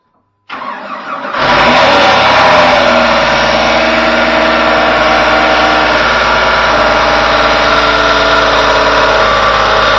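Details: Lifted 2004 Jeep Grand Cherokee 4.0 inline-six with a holed muffler and black oil: starter whirr, then a loud, raspy, slightly uneven idle with a blatty exhaust; owner says it sounds like it has no oil. Finding: unhealthy-sounding engine.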